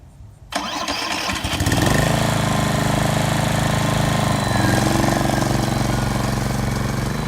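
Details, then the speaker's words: Repaired hybrid RCLM mower, after fixes for unsustainable power and a faulty electric start. The gas engine starts and settles, then its revs sag slightly and hold when driven full power forward; this dip is normal and shows the hybrid system is sustainable. "And what's important is for you to hear the RPMs of the gas engine going down a little bit."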